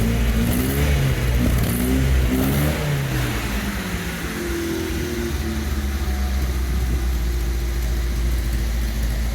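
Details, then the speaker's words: MGB GT started first time after about 12 months stored untouched, bonnet open; deep, clean exhaust note rises and falls through several blips, then settles to an even idle, healthy engine. "but how cool does she sound sounds amazing oh she's dying to get back out on the road she is"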